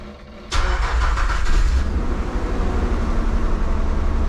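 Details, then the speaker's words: 1995 Nissan Pathfinder XE after timing belt, tensioner, water pump, thermostat, plugs and belts replacement, first start after a month of not starting: cranks briefly, catches cleanly into steady even idle, oil pressure light goes out, smoother than previous squealing; normal start and idle. "right oil pressure light went away wow it's actually running really well right now nice i'm liking this so far oh yeah it sounds it's sounding really nice it sounds so much smoother than before"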